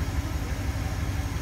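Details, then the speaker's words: 1966 Ford Thunderbird Landau, 390 V8 four-barrel with automatic: deep, even idle pulse, steady and settled with no misses, knocks or ticks; runs smoothly, a healthy idle. "all right look at how smooth and listen to how smooth this thing runs wow"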